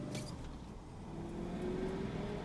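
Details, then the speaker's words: Chevy 2500 manual gearbox on a road drive: faint steady whine rising with speed in third gear, like straight-cut reverse gears; cause of third-gear whine unclear. "third gear has oh my God third gear has a little bit of a wind to it kind of like um it almost sounds like you have you know how on a a front-wheel drive car you've got um straight cut gears for reverse"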